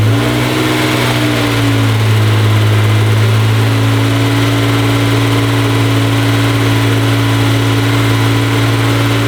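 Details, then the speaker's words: NSX with fully built supercharged engine and new exhaust, warming up with rpm limiter held at 2,000: deep steady exhaust drone with faint supercharger whine; smooth, even running, engine healthy. "Exhaust note is so good, and then you can faintly hear the supercharger whine."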